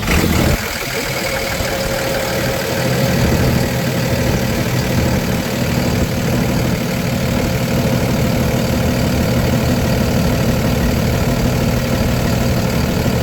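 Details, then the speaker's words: 2012 Freightliner M2 forestry bucket truck, Cummins 6.7L turbo diesel, automatic: a steady, even diesel clatter at idle with no smoke, misfire or stumble, a normal idle. "No smoking, no misfiring. This truck is on point. No hesitation of that 6.7 liter strong motor you'll hear on the drive-by and drive-on test."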